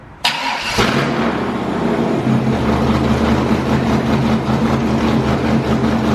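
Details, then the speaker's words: 6.0L LS-swapped Willys Jeep with LS cam and heads on the dyno with HP Tuners custom tune; pitch changes and power stops building above 5800 rpm regardless of tune. V8 pulls hard, then note flattens near top; valve float. "the truck just definitely changed pitch at 5800 no matter what we did to the tune-up it just was pissed off above 5800 rpm it did not want to build anymore"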